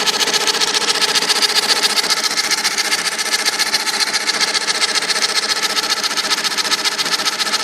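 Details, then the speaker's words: IBM Selectric II correcting typewriter: the motor hums with a fast, even buzz but nothing engages. The cracked center hub turns while the operational shaft piece stays still, so the hub slips. The machine freezes when keys are hit. "That hub is like this hub, and that crack just caused this to slip. So this is turning. This piece is staying still."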